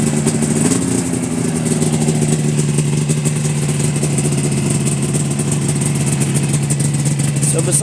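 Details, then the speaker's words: 2000 Yamaha Phazer 500 two-stroke snowmobile after new pistons, top end gaskets, carburetors and fuel lines, cold start at about −16 to −17°: catches and settles into a steady, even idle with no knocks or misses; normal cold idle. "it runs great the after we put the new pistons in it change the oil runs good so really there should be no more problems with this"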